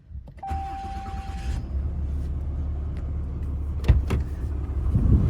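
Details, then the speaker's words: 2022 Ram 3500 with overhauled engine, 134,000 miles, start after sitting a day or two in 90s °F weather: starter whirr, catches quickly, steady even low rumble with no knocks or ticks; normal cold start. "my Clockwork that engine sounds like metal probably because it is at 108 they got overhauled"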